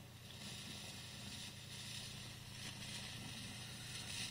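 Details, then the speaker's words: Fender Champ valve amp with a faulty 12AX7 preamp valve: loud hiss and crackle swell in and out over a low hum, preamp valve frying noise; fixed by a new preamp valve. "and that's the sound I was getting really bad out of the Champ."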